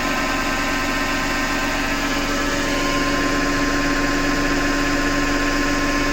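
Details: Hotpoint Ariston FMD963 washing machine with constant harsh grinding and a steady high tone while turning; the owner suspects the motor rather than the drum and plans to remove the belt to test.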